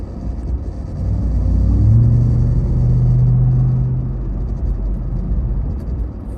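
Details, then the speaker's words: Ram TRX after several hours of driving: low droning vibration and whine rising in pitch when pulling away and when slowing, silent when stopped; seems from dash or engine bay, cause unconfirmed. "Driving it for several hours and it just now started making this noise. It doesn't make the noise whenever you're stopped. Sounds like it's whining whenever you're going to slow down."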